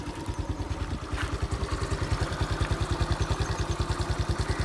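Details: 2015 TVS Jupiter scooter at 35,000 km, just after starting: even putt-putt near 200 beats a minute settles quickly and stays regular; normal idle.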